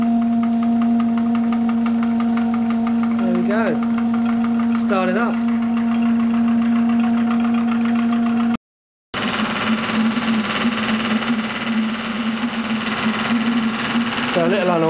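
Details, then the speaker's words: Maxitrak Graupner 5000 gas-fired steam engine driving a pond pump on its first run, regulator leaking: steady even chuffing about three and a half beats a second with a clean hum; runs smoothly, pumping water well. "but you got the pump running on the steam engine pumping water out of this bucket and back back in again but there's this little grer engine going beautifully"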